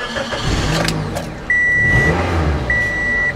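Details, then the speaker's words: Toyota Matrix 1ZZ-FE 1.8L after starter replacement, battery reconnected: brief smooth crank, engine catches cleanly and settles to even idle with dash chimes; starter working normally. "now before I give this back to the owner I'd like to start this four or five more times just to make sure that we don't have any issues with that starter all right sounds good"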